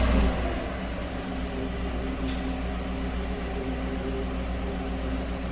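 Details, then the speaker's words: 2016–17 Chevy Silverado 1500 4x4 5.3 V8 with a flashing check-engine light, a shake and 47,290 cylinder 6 misfires. It settles into a slightly uneven idle with a faint tick; a bent pushrod and broken lifter were found. "Given the fact that there's a tick coming from the engine, I think we're just going to pull the valve cover and have a look."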